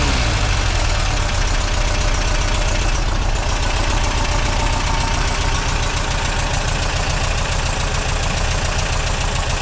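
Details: Refreshed 2-litre VW flat-four on a test rig at first start, steady fast even beat, a bit rough while still cold, running cleanly overall through a quiet vintage-speed exhaust; normal running.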